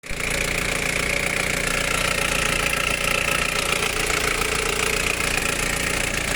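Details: 1991 Nissan Primera P10, GA16DS 97 hp carburetted engine with botched carburettor repair history: idle with busy uneven metallic rattle about two per second; timing chain suspected, not confirmed.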